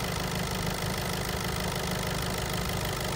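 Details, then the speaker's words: Diesel idling, heard by stethoscope at the injectors: dense, regular ticking about two per second, loudest on cylinders 3 and 4; injector ticking, those two injectors judged risky to the engine. "bakın sesi duyuyoruz bu ses enjektör sesi özellikle 4 tarafta çok net bir şekilde geliyor"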